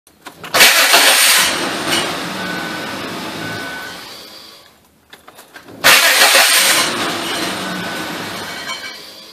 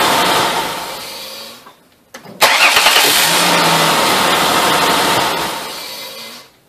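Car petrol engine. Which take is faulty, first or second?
first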